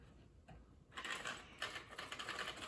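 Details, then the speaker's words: Old 1960s electric train set, long unused, with sketchy wiring and an old transformer, given a power boost: near silence, then a fast buzzy rattle with crackles, sparking at the wheels; owner thinks it may need oil; sparking motor struggling to start. "oh it's sparking out pretty good There She Goes she's definitely Sparky she's old might need some oil to get up that hill"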